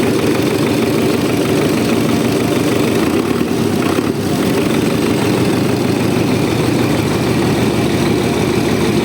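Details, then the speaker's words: Tractor diesel just after rebuild, still cold, oil pressure about 4, no smoke: steady, even idle with no knocks, misses or surging, no strong vibration; normal idle, minor fuel seep and air-leaking hose noted. "в принципі роби рівненько Не тіліпається ну трошки крила гуляють ну вони до цього гуляли ну такої вібрації вродьби немає сильної"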